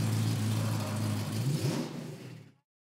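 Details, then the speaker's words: Restored 1957 Chevrolet Bel Air convertible with Corvette V8: deep strong rumble swelling as the throttle opens and dying away cleanly, no knocks or rattles; healthy engine rev. "Tem um Corvette aí embaixo. Nossa. Tem um Corvette aí. Por isso esse ronco. Eu estou adorando o ronco do motor."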